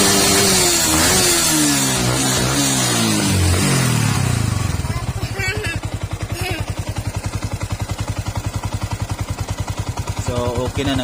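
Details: Yamaha R15 v2 motorcycle that had a won't-start spark plug problem: after voices and music, an even, rapid putter settles in with no stumbles or misfires; normal idle.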